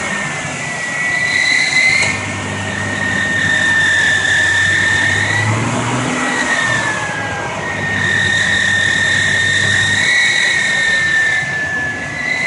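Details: 2000 Ford Explorer 4.0 SOHC: clear high whine rises and falls with each rev and settles back at idle; engine whine.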